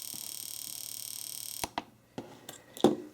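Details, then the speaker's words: Fuel injector driven by AllSun EM276 injector tester in mode 4, continuous operation, several hundred stable pulses: fast, even stream of light ticks with no skipped beats, then stops; injector pulsing cleanly. "so here you go uh you can see that uh in mode Number Four The Continuous oper operation mode the injector is just going to sit there and pulse away until you stop it"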